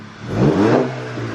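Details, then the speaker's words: VW GTI MK6 at about 140k miles: a short rev rises and falls with a deep, even exhaust note. The former raspy sound from under the driver's seat and behind is gone; exhaust is healthy. "so you don't hear that extra rap sound you don't hear it so it's like a nice deep tone consistent so that's awesome"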